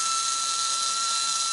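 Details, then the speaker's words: Slot car after motor change, bench-run from power supply via crocodile clips after gears twisted slightly apart: high, steady electric whine with a coarse, gritty hiss; pinion-to-crown mesh sounds rough, to be adjusted later. Rough gear mesh noise. "it sounds a little bit rough at the moment but that can easily be sorted out later on"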